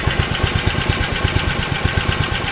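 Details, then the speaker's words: Japan-made Honda HR215 lawn mower, low hours, that was seized, now freed and running with idle set: small single-cylinder thumps at an even quick beat with no misses or knocks; clean steady idle, no smoke after 15 minutes. "boy does it run sweet for being seized up"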